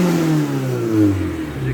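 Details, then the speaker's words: Ford Escort Mk1 with Toyota Beams engine, non-standard air intake pipe instead of airbox, running rich with black smoke: revs climb then sag with flat bogging note; hesitates, won't rev, bogs beyond light throttle; airflow/induction problem. "as you can hear there, it's hesitating. It doesn't want to rev."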